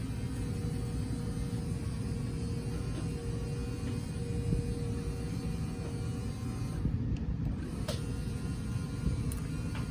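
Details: 2018 Cardinal 3825FL sofa slide-out extending: even low drone with steady motor whine while the slide moves out; motor pulling evenly with no strain or clicking, normal.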